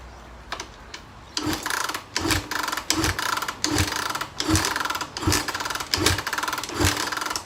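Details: 2012 Suzuki RMZ250 fuel-injected dirt bike, stored since January, just serviced with new plug, air filter, fuel and oil, has spark: rhythmic cranking strokes about 80 a minute, never firing; cranks but will not start.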